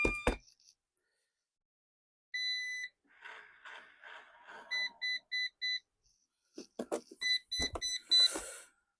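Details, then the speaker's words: Eufy RoboVac robot vacuum, rebuilt with a new motor. Four short, high, evenly spaced beeps after start-up: the error code meaning the power level is too low; low battery. "Four beeps. RoboVox power level is too low."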